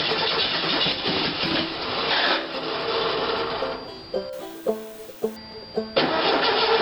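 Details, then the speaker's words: Engine with a carburetor and an old VW coil hot-wired to the battery, possibly no resistor: fires and settles into an even, steady run with no misses under background music. It runs well, but the coil gets hot. "that sounds pretty good yeah there is some heat to that coil"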